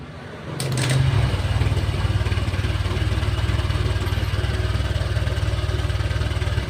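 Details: Honda Vario 125 scooter, run with the radiator water pump removed to test a strange noise: fires and settles into an even, low idle pulse near four per second with no rough bearing rumble or whine; pump bearing and hardened rubber blamed.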